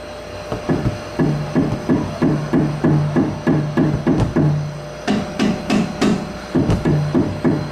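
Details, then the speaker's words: 2010 VW Fox front suspension after cleaning, threadlocking the four bolts and retightening loose tie rods: steady dull thumps about three a second, solid, normal control arm sound, no more play. "Zerou né tá mais silencioso que a bandeja aquela hora tava é o barulho normal dela né olha aí não tem mais folga"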